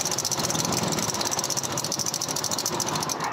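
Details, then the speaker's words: Automatic scooter (Vario/Beat/Scoopy/N-Max type) engine running with a harsh, rattly, overly loud clatter that rises slightly as the throttle is opened; rough engine noise. "jadi memang suaranya itu terlalu besar ya jadi besar banget jadi takut kita untuk mengendarainya"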